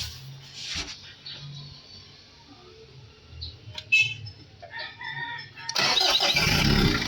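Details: Mitsubishi Adventure diesel with noisy engine, long-overdue oil change and a misfire: quiet, then it catches immediately at about six seconds and settles into a loud steady clatter; clean, quick start.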